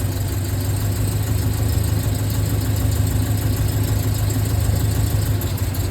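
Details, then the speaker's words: Rolls-Royce Silver Cloud S2 V8, warm, plug leads pulled one at a time: low idle with uneven, lumpy beat and occasional stumbles; two driver's-side cylinders misfiring, plugs and cables to be replaced. "So 2 of the cylinders on this side have a misfire."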